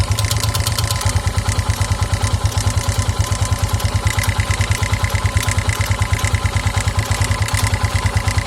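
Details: 2009 KTM EXC 450 at idle: a regular clack about three times a second, thought to be the cam chain tensioner, plus an irregular tick that sometimes stalls the engine. It fades with throttle; oil level checked, cause unknown.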